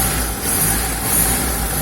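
Steady low engine hum with an even tone and no rattle or buzz from underneath; the engine sounds quiet and smooth.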